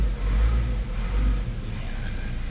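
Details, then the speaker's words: Mazda CX-5 2.2 SH diesel, just started after a dual turbo assembly replacement: idle rises and sags unevenly, no check engine light or codes; later attributed to battery voltage, cause not confirmed. "Yan namamalya ano kayang problema nito?"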